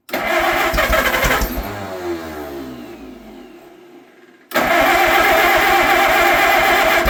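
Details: Old Allis Chalmers crank-start tractor, barn find stored at least 20 years, motor cleaned out: slow uneven cranking fades, then it catches with a sharp pop and runs roughly, a backfire on starting, though promising.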